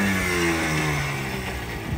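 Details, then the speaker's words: 1996 Yamaha Blaster two-stroke ATV with new petcock and fuel line; blips up then falls back smoothly, buzz dropping evenly with no misfire or knock; owner says it sounds odd recorded but normal in person: normal revving. "not sure why it sounds like that it ran pretty good it sounds normal in person"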